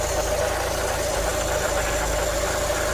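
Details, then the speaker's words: 1988 Volkswagen Cabriolet with mechanical fuel injection, sitting about two years; steady idle with constant hum and faint irregular knocking at engine front; crank pulley appears to wobble; oil burning off exhaust or timing belt rubbing cover suspected, unconfirmed. "Yeah, there's got to be some oil there on the exhaust that's burning off. That's probably that noise I'm hearing. That crank. I don't know. Is better or maybe the timing belt rubbing against the cover?"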